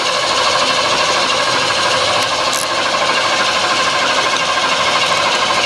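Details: Bullnose Ford F150, first start attempt after a transmission replacement, without a jump pack. Loud, harsh metallic clatter about three hits a second through the start attempt; owner thinks a wire was mixed up, cause unclear.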